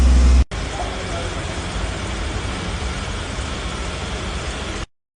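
A petrol car idles with a steady, even low exhaust rumble and no rattles or puffing.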